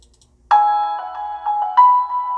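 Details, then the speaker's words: Budget Goldwood GT-525 tweeter under test for a Pioneer CS410 speaker project (10" GRS woofer, 2300 Hz first-order crossover) playing Adele's Turning Tables piano intro: clean, bell-like notes with no buzz or distortion, normal tweeter playback. "distortion no buzzing"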